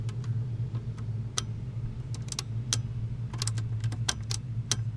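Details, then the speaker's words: 1996 VW Jetta Mk III with a new ignition switch, cap, rotor and wires, key turned: sharp irregular clicking over a faint hum and no cranking. Fuel pump relay 167 and relay 18 (owner thinks it is the load reduction relay) click; there is no start, and no fault codes are stored. "the power the fuel pump number 167 is clicking also relay number 18 is clicking not sure what relay 18 is I'm pretty sure that's a load reduction relay uh that one's clicking"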